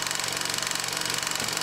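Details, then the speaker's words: Bell & Howell model 1592B 16mm film projector running: fast, harsh, even clatter, loud throughout; drive worm gear cracked in two, needs replacing. "So when I turn it on, that's what a really bad worm gear sounds like. They both need replacing, but this one is crazy bad."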